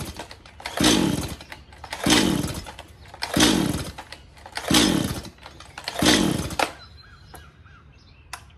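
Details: Stihl MS180C chainsaw with a new spark plug (old one gave weak spark): revs surge every second or so, sag instead of clearing on throttle, then die; the carb metering diaphragm was found stiff, starving fuel.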